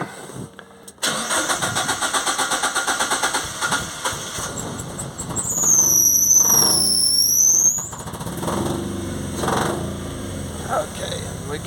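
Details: Ford Anglia with Mazda MX-5 engine, wasted-spark coils: starts, then lumpy uneven beat about four pulses a second on held throttle; only cylinders 2 and 3 firing, 1 and 4 (shared coil) dead, coil and ECU being checked on scope.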